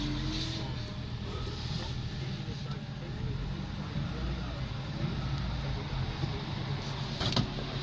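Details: 08/2011 TK Holden Barina hatchback, 1.6 F16D3 petrol engine, 153,303 km, listed as automatic (speaker also says manual), being dismantled at a wreckers: low, steady, even idle hum with no knocks or misses, some handling noise. Healthy engine.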